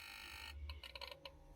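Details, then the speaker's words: Fridge automatic voltage stabilizer: rapid irregular buzzing clicks over a hum as relays chatter and output cuts in and out at 90–150 V input; burnt relay contact and faulty relay control circuit. "और यह काफी आवाज भी कर रहा है आप देख सकते हैं आउटपुट इ ने वन कर दिया आउटपुट यह नहीं दे रहा"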